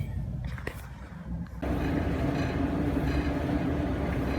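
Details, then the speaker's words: Amana gas clothes dryer, after oiling the squeaking idler pulley, belt on, run briefly with gas off: drum turns with steady, even low rumble and light hum, no squeak or chirp; normal drum rotation. "oh there the drum is turning everything seems to be nice and quiet"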